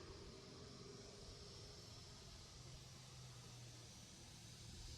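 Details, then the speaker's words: Cooling fans of an HP EliteBook x360 1040 G8 after fan replacement and thermal paste repair, spinning fast with a soft even airy hiss and faint hum, no buzzing or rattle; earlier noisy fan issue gone. "okay they are spinning fast but they are quiet okay there's no more sound"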